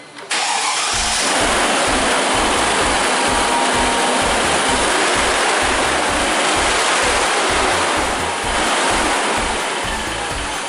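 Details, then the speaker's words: Mercedes W163 ML-Class (ML320/430/350/500) right after start-up: a loud, steady, jet-like rush of air drowns the engine. The viscous fan clutch is stuck permanently engaged and the fan cannot freewheel, so the clutch is defective. "You can hear how loud it is, it sounds like a jet airplane and this thing is stuck, it cannot spin."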